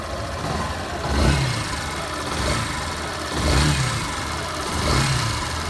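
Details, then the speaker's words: Yamaha Phaser 150 single-cylinder engine after repair of an engine noise, first start, cold and warming up: idles evenly with three brief throttle blips, quiet and clean; normal running. "Um pouquinho acelerado, é normal. Primeira partida. Verifica aí, né? Motorzinho bem calado."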